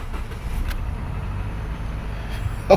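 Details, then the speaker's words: 2013 Subaru Forester SJ, FB16 naturally aspirated, on a crank-no-start call: after a fused 15 A supply was wired to the IG relay, the engine starts and runs with a low, steady rumble and no misses. Running normally. "yeah very nice there we are running"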